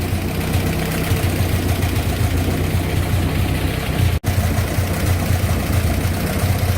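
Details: Farm-auction 1966 Kaiser Jeep CJ5 revived after decades: steady low idle rumble with a slightly uneven, loping beat and one brief dropout, running a bit rough while the distributor is checked; dwell reads 25, somewhat off, points erratic; cause unconfirmed.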